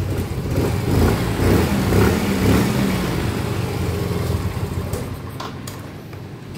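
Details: Soul GT 125 scooter single a month after an engine rebuild; the engine rattled because the piston was damaged again, and the oil passage to the block was confirmed flowing. It idles steady and smooth with no knock or rattle: normal idle.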